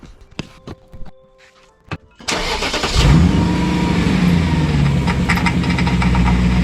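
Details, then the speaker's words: BMW E39 M5 after fresh power steering fluid top-up, engine idling while the wheel is turned lock to lock to bleed the system: steady idle with no whine or groan; power steering sounds normal. "turn the wheel all over to the left all over to the right over to the left couple of times and see if we have any noises or anything like that"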